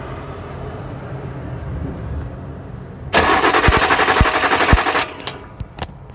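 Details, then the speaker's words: Datsun 260Z, L28 engine with 123 ignition; plugs out, cranking: sharp snapping crackle over the starter as the brand-new, uncracked Bosch distributor cap arcs to its bracket on one side, causing random misfire. "so that to me says the cap is actually fired itself when it's brackets it's only doing it on that side"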